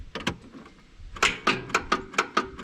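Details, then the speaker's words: John Deere 5065E tractor that failed to start with a raised load: sharp dry clicks about four a second, no cranking; fuses fine and jumping the solenoid did nothing, so the owner's best guess is a burned-up starter. "It just clicks. That did make more of a sound than normal, but it just clicks the relays."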